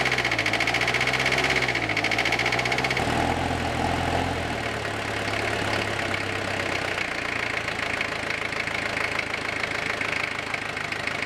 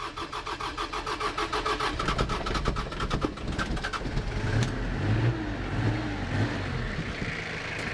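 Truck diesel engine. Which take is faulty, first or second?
first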